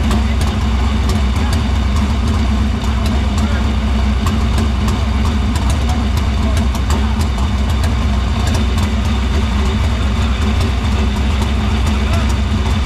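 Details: Dirt Silver Crown race car running in the shop after getting fuel through the filter and lines to the pump and barrel valve; deep, steady, even rumble at one speed, no misses or stumbles; fuel system checked out good.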